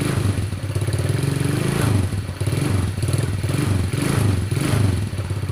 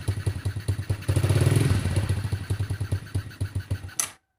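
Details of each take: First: Motorcycle not started for a long time, after hot water poured on the cylinder head: low, uneven thumping single-cylinder engine runs several seconds, then beats slow and die away as it stops; normal running. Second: Motorcycle not started for a long time, hot water poured on the cylinder head to aid starting: uneven low chuffing about four beats a second briefly picks up, then falters and cuts out; hard starting.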